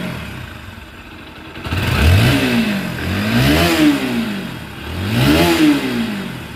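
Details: Pulsar NS 160 motorcycle after an engine rebuild (connecting rod, piston rings, gearbox) to cure an engine noise: three clean throttle blips with smooth rise and fall and no knock or rattle. Normal revving.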